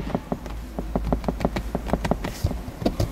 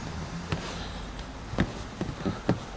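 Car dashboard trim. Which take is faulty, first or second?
first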